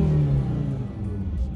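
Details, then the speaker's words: Fiat Coupe at 83,000, started for the first time in about three months: a brief, low, even engine note with no knock or rattle; it sounds fine. "she sounds all right yep good little car good little car"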